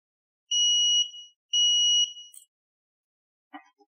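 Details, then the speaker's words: VIMA digital anti-theft lock cylinder: two long, steady high-pitched beeps about a second apart, the alarm after a key is left in the cylinder longer than 7 seconds, reminding removal. "If you leave a key in the cylinder for longer than 7 seconds, an alarm sound will remind you to remove the"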